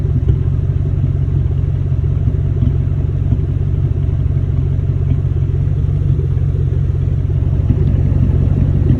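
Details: 1999–2004 Ford Mustang GT V8 at idle: deep rumble with an uneven, loping beat every so often, louder in person and worse when hot out and not fully warmed up. Random misfire.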